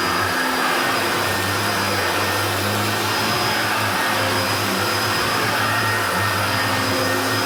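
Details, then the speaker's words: Hoover Turbopower Junior U1222 upright vacuum, little-used example that had seized on its pivots, running: steady, even motor roar with smooth rushing airflow, no rattle or bearing growl; sounds better than the other U1222, normal running. "And this one does sound a lot better than that one."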